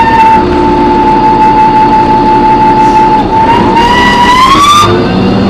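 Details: Loud screech while driving an MTA New Flyer D40LF bus #4088, recorded on board: a piercing steady squeal that holds, climbs as the bus speeds up, then cuts off; source unclear, brakes or transmission suspected.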